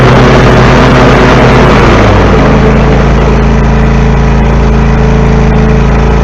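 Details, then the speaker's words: 14-year-old John Deere L130 lawn mower started just after a new, tighter mower deck belt was installed: loud, steady small-engine drone with an even beat, no belt squeal or knocking, running normally, so the job succeeded. "It works. Job successful."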